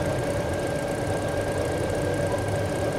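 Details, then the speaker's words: 2019–2020 GAC GN8 that used to stall within a minute of starting, now warming up after new spark plugs and running quiet. A steady, even idle with no misses or knocks means the engine is running normally. "Kasi nga ano dati pag pinaandar mo wala pang isang minuto Ano na eh pumapalag na yung makina so Ayan na mga kaasim dito tahimik na yung kanyang makina"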